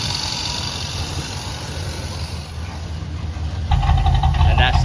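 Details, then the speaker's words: 1990 Dodge W250 Power Ram engine settling to a steady, even, clean low idle after the throttle closes, no knocks or misses; it had been idling high and creeping back up, owner suspects a worn throttle return spring. "a lot better than it did. That sounds like the normal clean idle before it was pretty pretty high."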